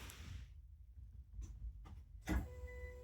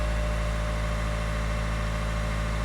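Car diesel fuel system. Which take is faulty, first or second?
first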